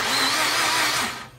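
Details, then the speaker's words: 2004 Mazda RX-8 manual with a starter relay fault (no PCM signal to the relay), starter fed directly by jumper cable to positive: short high whir as the starter spins freely, then winds down; starter motor itself works. "the blue and red that's on the left there that's what actually feeds the starter so when you have positive power going to that the starter will turn"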